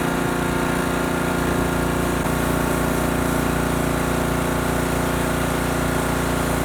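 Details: Husky pressure washer repowered with a new Honda GCV190 engine after the original blew from low oil. Engine runs at a steady, even pace with a faint extra tone on top; the pump sounds a bit noisy, cause unclear.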